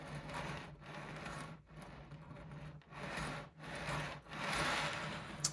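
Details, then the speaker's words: OO gauge model railway: a rhythmic dry rasping scrape about once a second as coach wheels roll over a kink in the track. The kink formed from track expansion with too small a gap; the section is to be replaced. "But there's definitely a kink like that there, which doesn't look very good, and you can hear these wheels."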